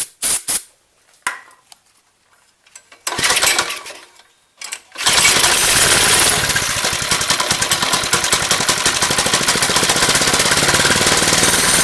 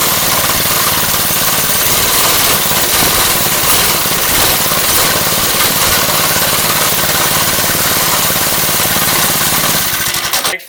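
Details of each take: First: Lifan 2.5 hp engine, air filter off, won't run on gas with choke: catches on starting fluid, buzzes evenly about nine seconds then dies; spark and compression fine, fuel delivery fault, carburetor suspected, later replaced. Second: Lifan 2.5 hp single-cylinder go-kart engine after fitting a replacement carburetor (original leaked fuel): busy steady buzz at constant speed, no stumbling or dying before shutdown; running properly.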